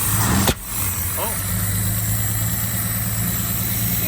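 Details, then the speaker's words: Long-abandoned Mercedes after a carburetor swap: the engine fires right up, then settles into a low idle that wavers slightly; a mildly rough idle. "know, a little bit of a rough idle, but that's fine."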